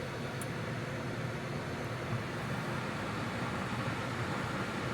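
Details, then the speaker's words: Chinese diesel heater running on high indoors on a waste motor oil and diesel mix (about 25% cut) fed from an external tank, second day of running. An even fan rush with a low hum, quiet and tolerable; normal operation. "But this is on high. And it's, in my opinion, completely tolerable."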